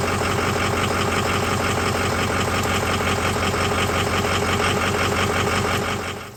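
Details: 2005 Ford F350 6.0 diesel, just restarted after oil cooler replacement and coolant system flush: smooth, even idle clatter at about three beats a second, then a clean shutdown. Oil pressure up; healthy running.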